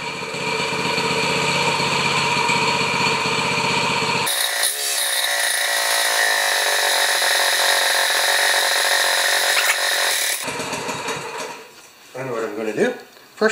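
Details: 196cc plate compactor engine, after oil check: small single thumps steadily at idle, then rises to an even high-speed drone and holds it; normal running.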